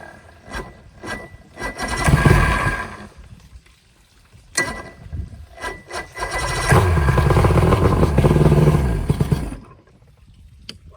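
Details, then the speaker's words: Outboard from a sunk boat, plugs back in: the motor catches in ragged bursts that surge and die away without settling. The gas tank fuel is mostly water. "Yeah, gotta be some bad fuel for sure. Well, I think I found the culprit."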